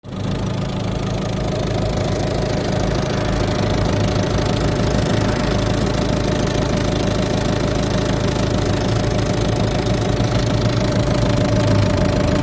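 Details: eHDi 112 diesel at idle: steady clatter with a rapid, somewhat uneven knock running through it. Owner asks whether the noise is normal. Abnormal idle noise, cause not determined.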